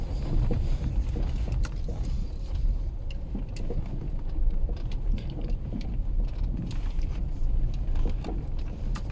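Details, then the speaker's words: VW Polo driving after steering rack repair, dull irregular knocks over road rumble and wind; worn anti-roll bar stabilizer links, knock gone after replacing the links. "вот этот стук будет характерный особенностью поэтому Не ездите по сервисам а сразу Идите и меняете свои стойки"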